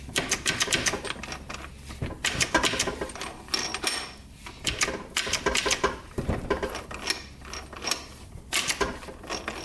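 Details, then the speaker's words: 2001 Suzuki RM125 dirt bike, engine apart and shifted by hand: quick metallic clicks and clunks as each gear is selected, engaging cleanly with fourth slightly sticky; the shift bolt is possibly bent, and it may improve with oil. "look over we'll go through the gears here quick see there's fourth gear a little bit sticky fifth sixth here right there and that's all of them"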